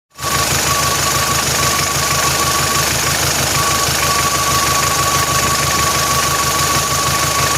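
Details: Engine running steadily with an abnormal uneven metallic clatter and a thin whistle over it; something is wrong internally, but the cause was not identified.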